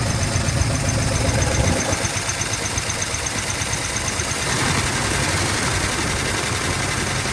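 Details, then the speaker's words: 1970 Dodge D100 383 big block, sat 30+ years: steady fast idle with light quick lifter tick still settling; runs fine. "She runs. Okay, that's good enough for me."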